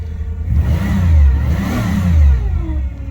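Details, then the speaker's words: Cadillac DeVille started for the first time in 7 months, coolant temp 77, no power steering fluid in it: faint whine rising and falling with each rev over the engine roar, power steering pump whining from low fluid. "ain't got no power steering fluid in it coolant temp 77 fire it off first time battery volts and hear that wine"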